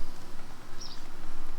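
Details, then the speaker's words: Snowmaster Traveler Series fridge-freezer running on AC power after DC power failure with Goal Zero 400, fuse fine, reading 20 °C: quiet steady compressor hum with slight flutter, cooling normally. "Turn it off. Turn it on. You can hear it cooling."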